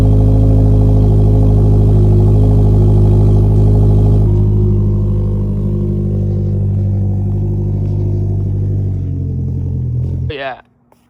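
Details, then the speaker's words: 2022+ Subaru WRX with EOS axle-back muffler delete and newly fitted mid pipe with Y-pipe: loud idle with fast ticking puff, about four per second, at startup and idle, less once moving; exhaust leak at big clamp joint between Y-pipe and mid pipe. "you guys heard, there is a leak on the startup, especially. But, once you get to a idle, you can't really hear it as much"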